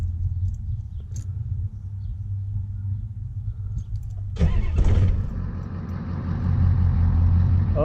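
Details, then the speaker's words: 1989 Ford F250 7.3 IDI diesel, first start from the cab: it catches and settles into a steady, even low clatter with no misses or knocks. Normal diesel start and idle. "yeah that sounds a lot better a lot better"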